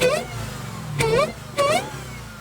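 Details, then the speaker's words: Damaged Challenger at a salvage auction, with oil cooler intact, started up: two quick throttle blips rise and fall cleanly from a smooth idle, surprisingly quiet for a Hellcat-type V8. It revs freely and healthily. "Fire it up. Woo! That's quiet. Way too quiet. This ain't a Hellcat type Hellcat, you know? Nope."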